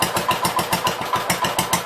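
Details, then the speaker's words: Gravely 566 tractor under rebuild, about a quart low on oil, no front attachment fitted: even, steady firing pulses about seven a second with no knock or miss. Normal running. "But so at least works. Sounds like it'll run pretty decent."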